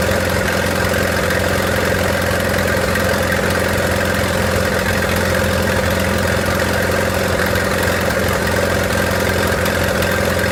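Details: 1928 Farmall Regular tractor idling after carburetor tweaks, spark advanced about halfway: a slow, steady chuffing idle at about three beats a second, even and unhurried, with no misses. Normal idle, engine idling fine.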